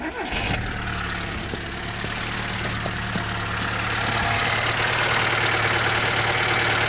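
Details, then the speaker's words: Warm Zhiguli (Lada) engine with a new water pump, after a knock was traced to the alternator's lower mount: steady idle with an even beat, no clicks or knocks, just a slight shake whose cause is still unknown. A normal idle. "потихоньку трясется, но щелчков, стуков нету. Работает как обыкновенный жигулевский двигатель."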